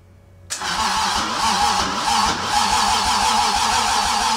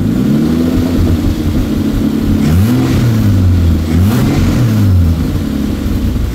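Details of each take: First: Toyota 2JZ engine, self-wired swap in a car unused for 10 years, first start attempt; starter churns steadily at about three to four turns a second but never fires. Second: Toyota 2JZ inline-six, newly wired into a car after months of work and freshly started, recorded with multiple microphones; revs rise and fall smoothly several times with a loud, raw open-pipe note and no knocks or misfires, running normally.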